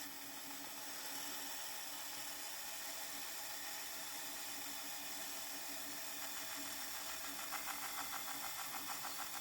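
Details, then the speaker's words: Nakamichi BX-150 cassette deck from a hoarder house, final test: a smooth high whir with light tape hiss and no chattering as before. The noise is just the cassette, and it shuts off at the end. Normal rewind. "That noise you hear is just the cassette itself. Shuts off when it's done."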